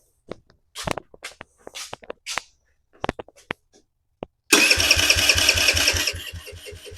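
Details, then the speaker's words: 2007 Kawasaki KFX50 four-stroke 50cc quad with 150 psi compression and wet plug showing fuel, carb boot not seated, clicks then even cranking that never catches; crank no-start. "it nothing I mean this car boot is clearly not on right but it should be enough to fire her up"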